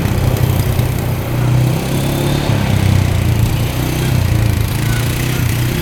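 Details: 2013 Polaris Sportsman 550 EFI EPS 4x4 ATV running after cleanup with the switch disconnected. All gears, reverse, high and low work. Steady even drone, no knocks or misses, slight clutch squeak (owner thinks rust): normal running.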